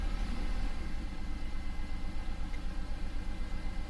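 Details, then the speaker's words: BMW E46 on a start attempt after a dead battery, during intake manifold removal and CCV replacement work. Uneven, lumpy idle pulsing about four times a second with a loping beat: running rough, cause not pinned down; a later attempt sounded better. "okay yeah that's not running good whatsoever"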